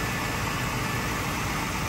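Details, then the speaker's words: 1959 Cadillac truck V8 running on a temporary hot-wire to its electric fuel pump after sitting a long time; it idles smoothly and evenly with a low rumble, no misses or knocks, no overheating and no smoke. "you hear that that's unbelievable look how good this thing runs like butter"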